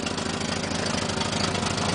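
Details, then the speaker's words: 1967 Mercedes with over 300,000 miles, cold start: even, regular idle running on all cylinders over a busy valvetrain clatter, a little smoke; the carburetor is messed up and the alternator reads about 13.5 volts. "sounds like it's see running on all the cylinders"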